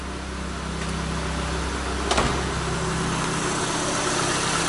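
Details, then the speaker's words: Peugeot 207 after oil leak repair that became a cylinder head rebuild, oil and coolant checked, started: smooth even petrol idle with steady hum and one brief click, no misses or knocks; running smooth, normal idle. "vamos ligar o carro e é isso aí funcionamento liso"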